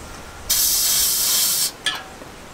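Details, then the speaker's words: 1 lb propane cylinder being refilled upside down from an adapter, nearly full: loud steady hiss for just over a second, then a short spurt of liquid as the relief valve is pushed to purge it, then it stops. "got a little bit of liquid coming out just kind of purged it it's hissing a little bit more and it stops"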